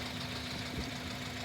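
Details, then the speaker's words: 250,000-mile engine idling, heard through an ultrasonic Whisperer tool as a baseline: an even, steady idle hum with no ticking or knocking; fuel control and vacuum are good. Normal idle. "The engine's got 250,000 miles on it. No outstanding sounds that I can hear."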